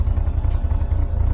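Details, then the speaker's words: BMW E36 after replacing cracked intake air injection and valve-cover lines, warmed up: idle improved but low lumpy beat with occasional stumble, like a cylinder dropping out; still somewhat missing. "sound all that great still sounds like it's somewhat missing of some something some kind"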